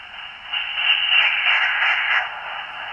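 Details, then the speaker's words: Teensy 3.5 SDR receiver after fitting 600-ohm isolation transformers: between stations only a soft, even hiss remains, with no burble or whine; faint atmospheric-like background noise is still somewhat present. "now what sounds like atmospheric noise in the background you usually would go away when you pull the antenna that's still somewhat evident"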